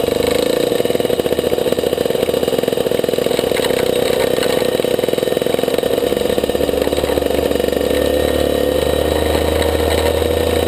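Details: Maxter KZ2 two-stroke kart engine, clutch test 2; high, buzzy note holds steady and never pulls cleanly under load; slipping clutch.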